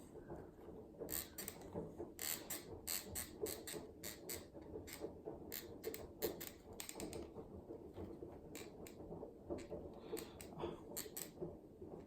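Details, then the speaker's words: MSX electric unicycle pedal pressed at one corner: quiet irregular dry crackles and ticks from a loose screw under the grip tape holding a metal plate; fixed by tightening the screws. "your mother crackling noises from this pedal because they have finally find their in the problem it's something when I apply pressure to this corner to this corner it sounds like something is"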